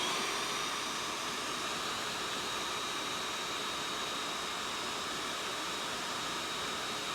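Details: Bissell ProHeat carpet shampooer, carpet nozzles not spraying even after cleaning: loud steady motor and suction roar, unchanging; machine runs but spray system remains clogged with crud needing a flush.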